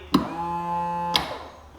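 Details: Aerator pump on a salvaged 16ft aluminum Bass Tracker boat after rewiring and grounds were cleaned up. Between two clicks, a quiet, steady, clean-toned hum holds for about a second; the pump runs normally.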